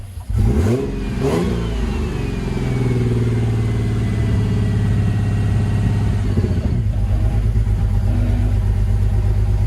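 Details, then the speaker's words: Ford Barra six-cylinder, about 186,000 on it, just jump-started: it catches, flares up and hangs at a rough, uneven high idle near 2000 rpm, not cammed; air leak at the intake manifold gasket. "just running really really sort of rough and you'll be able to hear from the exhaust but the car is not cammed and it sounds like this. We've got a very high idle. You've got a high idle at nearly 2k."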